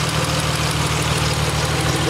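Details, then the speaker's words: DeLorean VIN 2727 twin-turbo, chargecooled engine the day after it first ran following a heads, cams, valves, chargecooler and turbo rebuild; crisp even ticking over a smooth idle. Normal batch-fired injectors, all six squirting every two revolutions. "That main ticking that you can hear there is actually the injectors, because it runs batch fired injection as the original Renault did, and that tick tick tick tick tick tick tick tick, that's it firing every period."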